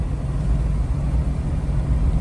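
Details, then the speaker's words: 1971 Dodge Charger Super Bee cruising on its first road test after 35 years; owner suspects the temperature gauge reads falsely high: a deep, even V8 rumble at steady cruise with no skips or stumbles, no misfiring; normal running. "Sounds good, no misfiring. It's just mostly need wheels and tires now."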